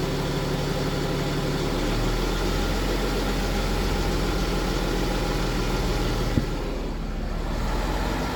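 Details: BMW F15 X5 with N57 diesel idling: busy, fast metallic clatter over a steady low rumble; timing chain noise suspected, not confirmed.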